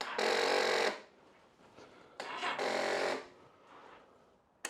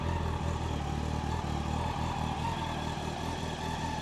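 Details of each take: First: 1999 Yamaha R1 on choke, just refilled with oil and new filter: two short starter whirs under a second each, separated by silence, engine never fires; weak battery suspected. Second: 1999 Yamaha R1 four-cylinder, started on choke to warm up before an oil change: quiet even idle with smooth steady beat, no rattles, no knocks, no head noise; normal healthy idle.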